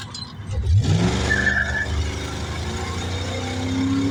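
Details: Stock 2005 4.8 LS V8 after swapping 12-inch for 10-inch torque converter and new flex plate; pulls hard from low revs with deep rising exhaust, no chirping or squeaking, no vibration before upshift.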